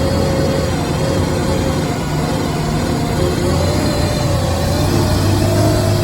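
Low, steady engine drone with an uneven, lumpy pulse underneath and no clean rhythm; the engine is idling roughly, cause unknown.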